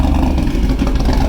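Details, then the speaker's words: 2018 Mustang V8 with a newly installed P1SC ProCharger at first startup, tune still being learned and seeming a little rich: a deep, even rumble with a steady beat and no knocks or rattles; the engine and blower sound good. "sounds good. Blower sounds good for sure."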